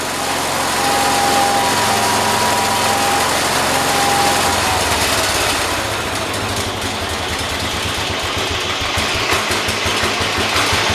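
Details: John Deere 212 tractor single-cylinder after carburetor adjustment with lock nut tightened to hold setting: light putter at fairly even idle without hunting or surging; idling properly, load test next.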